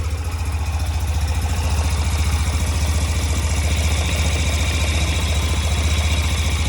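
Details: 2007 Yamaha YBR125 after fitting an upgraded KEMSO fuel pump (it had kept overheating in the sun), fuel primed: steady, even single-cylinder thump at idle with no misses or stumbles; fires cleanly and holds a healthy idle.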